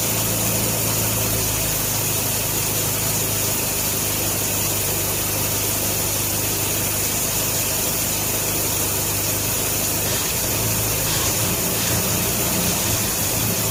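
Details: 1957 Nash Metropolitan four-cylinder barn find that sat for many years, running on old gas after crossed plug wires 3 and 4 were fixed, warming up: a steady idle with a busy, slightly rough rattle, but no stumbling. Normal running.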